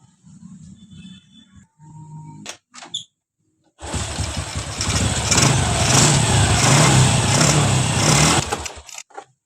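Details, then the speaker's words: Honda Revo Absolute motorcycle after engine rebuild for left-side cam chain noise caused by broken oil pump gear; oil pump now working, good oil pressure: quiet start, smooth even note, no ticking or knocking; noise gone, running healthy. "mesinnya sudah kembali halus untuk suaranya dan udah enggak ada lagi suara yang berisik suara yang aneh-aneh"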